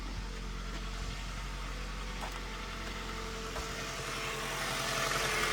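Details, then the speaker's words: Four-cylinder engine at cold warm-up idle after intake manifold gasket and IA valve replacement: even, slightly raised idle on all four cylinders, steady beat, no misfire or knock; smoke seen afterward, possible oil leak or residual. "Running on all four. Nice warm-up idle."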